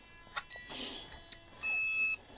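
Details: Cheap HobbyKing X-Car 45A sensored brushless ESC fitted to an Axial SCX10 Rubicon, replacing a noisy Castle Sidewinder 3: one short, clear high beep as it switches on; normal power-on tone.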